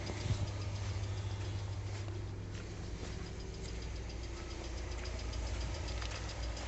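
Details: New 2020 Lada Largus with 3,300 km: light, irregular tapping over a steady idle that comes and goes, cold or hot. The cause was a factory-defective cylinder head, replaced under warranty.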